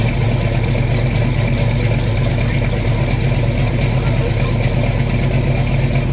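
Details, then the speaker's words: 1986 Chevy Caprice on lift with freshly rebuilt 400 turbo transmission, shifted through gears at idle: steady low rumble, no clunks, transmission engages cleanly and works; trans brake still to check. "There we go. Transmission's working."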